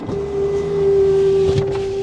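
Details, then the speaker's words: Minivan with a timing-chain engine and 153,000 miles, running: a steady high whine from the belt-driven accessories, which the owner attributes to a screaming alternator. "yeah that alternator is screaming uh-oh"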